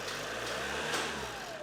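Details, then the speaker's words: Chevrolet Cruze diesel after belt replacement, AC on, revved then shut off: even idle rising smoothly with the rev and settling back, no rough buzzing from the belt area; the earlier brrr sound is gone, normal. "മതി of ചെയ്തോ അപ്പൊ നമ്മൾ ആ പേടിപ്പെടുത്തുന്ന ബ്രൂർ എന്നുള്ള sound മാറിയിരിക്കുകയാണ്"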